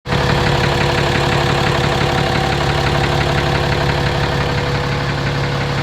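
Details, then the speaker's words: 2017 RAM 2500 6.7 Cummins diesel, 12,100 miles, Rotella T 15W-40, tows fifth wheel: deep, steady knock about three times a second under idle clatter, always present; oil analysis shows high iron, source undetermined. "Sounds pretty pronounced to me."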